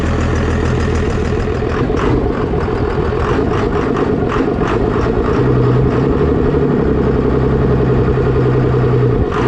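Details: 24-valve diesel pickup, first start after injection pump swap, fuel leak noted at pump: loud diesel clatter at a steady, even idle without stumbles; running well.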